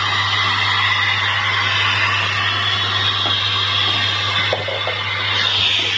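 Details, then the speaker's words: Samsung CRT TV audio section: a constant hiss and crackle over a low mains hum instead of clean sound; the static fault lies in the audio IF coil, which can be replaced or trimmed. "Terdapat IF pada bagian audio dan kerusakan pada suara statis sebelumnya terletak di IF tersebut."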